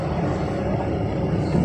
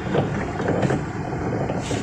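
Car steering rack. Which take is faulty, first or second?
second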